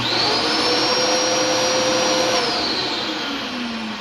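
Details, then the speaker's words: Dyson DC07 vacuum, run daily, with a squealing problem when the clutch engages: with the brush bar off it runs normally, a steady high whirring motor note holding even pitch before winding down. "my machine sounds normal when you turn it on and run it"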